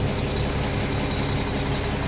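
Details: Mack E7 diesel in a Mack Vision truck after water pump replacement and coolant refill, fully warmed up: deep, steady rumble with no misses or knocks, even and smooth; healthy normal idle.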